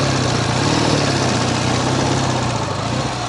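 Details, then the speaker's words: Ural sidecar motorcycle riding through sand under load: steady even boxer thrum with no tapping or knock; owner wonders if the earlier knock was a pushrod after all. "сейчас по песку под нагрузкой ездит и не стучит лиц может все-таки штанга"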